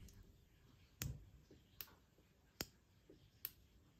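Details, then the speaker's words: Trabant with EBZA electronic ignition, timing set with dial gauge at about 3.1 mm before TDC; test spark plug grounded on ignition coil gives crisp dry snaps about every 0.8 seconds; ignition firing normally. "hört ihr das Knacken also wir sind jetzt vielleicht bei 3,1 mm vor Ort das heißt die Zündung ist soweit eigentlich korrekt eingestellt"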